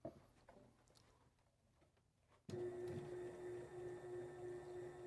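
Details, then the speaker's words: Sailrite sewing machine motor on a 400 W Duralast modified sine wave inverter: motor whirs with slight rhythmic surging about three times a second, hesitation probably due to the inverter's low wattage; still functions but not ideal. "Okay, you can hear a little bit of hesitation in it, and that's probably because of the wattage being a little low. Hear it, Matt? Cycling, it's surging just a little bit."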